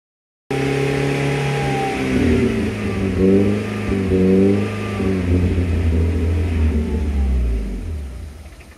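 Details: Unstable hunting idle on a supercharged engine: revs climb and sag on their own over a few seconds with no throttle input.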